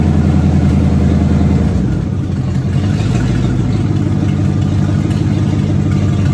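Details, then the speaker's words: Car "Abe" after new fuel pump, new starter, cleaned tank and about 2 gallons of fuel, first run since 2019: steady smooth engine note with a brief rev change, no knocks or misses; runs healthy, brakes still needed. "Well, there you have it. First time and since 2019 that anyone knows of that that car ran or alone moved on its own power."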